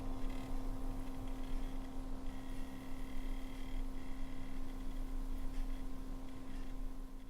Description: There is a weird noise from the liquid pump. What is the cause of it?